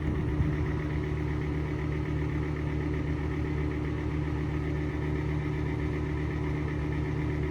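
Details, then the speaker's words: Exhaust fan (vent) making a steady rough hum and low droning roar at constant speed, not yet squeaking; probably bad bearings, last oiled with 3-in-One, still works; worn fan bearings suspected, not confirmed. "You're just making a lot of noise because they're probably bad bearings."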